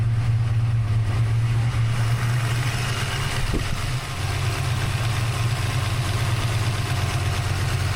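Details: Fresh rebuilt 363 V8 (new Diamond pistons after melted pistons) with Holley Smart Coil ignition, cam sync, crank trigger and Terminator X EFI, idling stationary just after first start; deep steady even burble, no ticking, knocking or leaks; normal idle.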